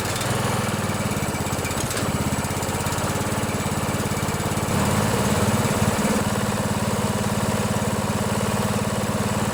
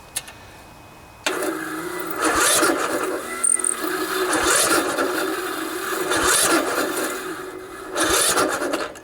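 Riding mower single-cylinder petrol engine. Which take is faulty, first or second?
second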